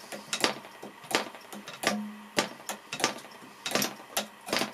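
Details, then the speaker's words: Flooded Progress Aero Works (PAW) .55 model diesel engine, deliberately flooded with a full venturi: irregular sharp pops as it is flicked, catching only briefly and never running; cleared by increasing the compression screw to chase the fuel out. "now the venture is completely full the engine should start that the engine will melt because it's too much fuel so again we have to chase the fuel out by increasing the compression"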